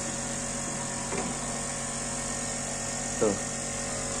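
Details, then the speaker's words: Panasonic split AC outdoor unit not cooling after washing: compressor runs with steady hum and vibration but outdoor condenser fan motor is dead, no fan rush; motor replaced with a Midea fan motor. "Coba dengarkan, ini suara kompresor. AC udah saya nyalakan, kompresor nyala, kipas mati. Ini kipasnya yang rusak."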